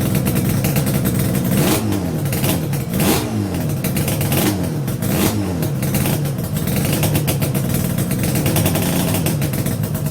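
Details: Yamaha RD350 YPVS F2 two-stroke on its first start after a full rebuild (bearings, seals, rebore): crisp blips rising and falling cleanly, about five quick revs, returning to a steady idle each time; healthy.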